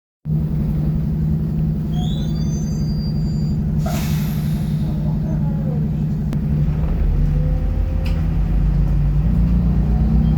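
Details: Optare Solo ExHCT bus on route 309, boarding: loud steady diesel drone with brief high squeaky chirps early on; cause of squeak unclear.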